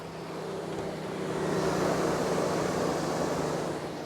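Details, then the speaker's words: 2016 Chevy Tahoe, highest trim, about 99,800 miles, engine off: mic close under hood, steady airy whoosh swelling and easing as radiator fan keeps running long after shutoff, then stops randomly; began after windshield replacement, cause unknown. "I have no idea what's going on, but when I turn the vehicle off, it'll sound like this for quite some time and then shut off randomly."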